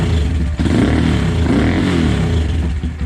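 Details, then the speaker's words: High-mileage (20,000 mile) Honda Grom single after rebuild and heat cycles, revving cleanly with a deep meatier bark through new header; earlier prominent buzzing cured by torquing a loose, barely finger-tight fastener. Normal revving. "We're buzz-free. Now I can actually hear the engine, and it's sounding pretty good."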